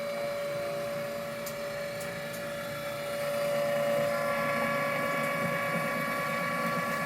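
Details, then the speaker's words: Met One E-SEQ-FRM sequential sampler, paused so the turntable moves to give access to the filter: a steady mid-pitched motor whine with a faint higher hum, no clicks or grinding; normal rotation. "Wait for move to complete. This should rotate. We should be able to get our filter."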